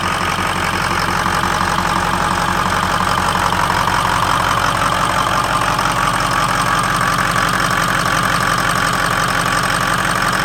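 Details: 2003 Ford F-250 6.0L Powerstroke diesel at startup: clatter at idle with a steady, slightly uneven pulse of about three beats a second; running rough or misfiring, cause not obvious.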